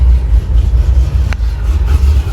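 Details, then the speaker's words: 1000hp Cadillac CT5-V Blackwing, manual, fuel trims pulling 27%, wideband readings erratic, tuning problems; deep uneven rumble surging and stumbling under light throttle while driving, engine breaking up and jumpy. "it's a little tough in this case because it's not driving very well listen to it breaking up"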